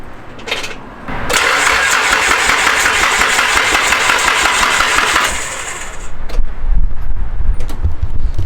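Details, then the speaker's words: Nissan S13 coupe with a swapped SR20DET, first start attempt: the starter cranks at about 3.5 beats a second for four seconds but the engine never fires. No fuel smell and the 255 fuel pump is not heard; the fuel lines were found reversed. Crank, no-start. "I don't smell any fuel or anything. Should I go listen for the fuel pump?"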